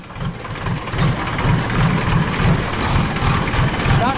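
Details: JCB backhoe loader diesel idling after the fuel line was bled and the filters were refitted, with no leaks. An even, steady low thump at about three beats a second, no misses or knocks. The idle is healthy.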